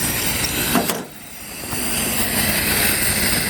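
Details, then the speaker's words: Pulling a vacuum on AC: a steady airy hiss of air escaping, probably at the line fitting, suspected faulty valve or bolt; it dips when the pipe end is closed and the pressure falls. "You can hear the sound is coming out from here. I closed the end of the pipe and the sound's getting okay. The air is coming out, but it's getting lower."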